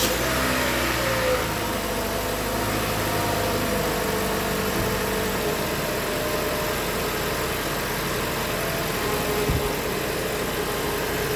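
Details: 2013 Toyota Venza 2.7L after engine work, coolant at half and oil slightly below full: smooth steady idle, a bit loud from the exhaust manifold design, no knocking or ticking; normal idle.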